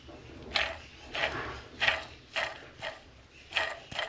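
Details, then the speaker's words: JAC pickup diesel just after restart following injector repair and filter replacement: rhythmic scraping rasp about two bursts a second from the belt tensioner pulley, whose bearing had failed; replaced with a standard 303 bearing. "Після запуску почув звуки. Час я вам зараз вам покажу. Ось натяжний ролик."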